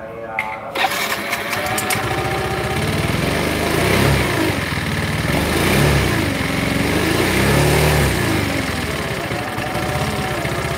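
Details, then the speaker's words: Scooter after engine rebuild, CVT rollers replaced, no power and dies off throttle, tops out at 50: coarse uneven mechanical clatter over exhaust; rough running attributed to worn camshaft. "oke suaranya kasar sekali ya kalau lepas gas mati"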